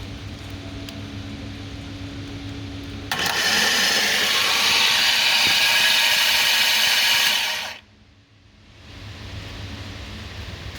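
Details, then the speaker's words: 2015 Jaguar F-Type with 72k miles and a hydrolocked engine, removed and on a table, with the starter energized. A loud, high whir lasts about five seconds and cuts off; the starter pinion stays engaged instead of retracting, and the starter is suspected to have failed. "it's not retracting it inside"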